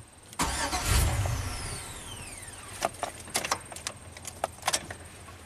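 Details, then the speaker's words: 2003 Chevy Silverado Classic V8 with intermittent no-crank, bypassing the ignition switch yellow wire with a test light: starter whirs about 1.5 seconds and winds down without catching, then clicks; dash reads theft deterrent enabled. "try that again okay it's saying theft theft enabled"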